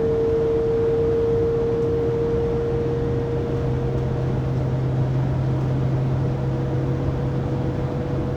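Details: 2020 Pleasure Way Plateau FL (2019 Sprinter 3500XD), recorded by phone at 80–90 km/h after drive shaft and differential replacement: loud steady whine over road hum, fading after a few seconds; driveline whine, source unknown.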